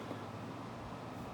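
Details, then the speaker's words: 1987 Danby 7500 BTU window air conditioner (Korea-made, R22, 8.2 A), coils cleaned. Fan on low setting with the compressor off: a quiet, even airflow hush with no rattles, scrapes or tones. Normal fan operation on low. "So let's just fire it up. That's high fan, medium fan, low fan."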